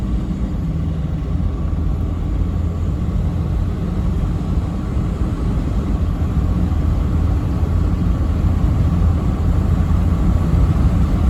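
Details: Toyota with a new 1KD diesel engine replacing one whose injectors were badly worn, driving. A deep, steady, even diesel rumble with no knocks or misses: the new engine runs smoothly.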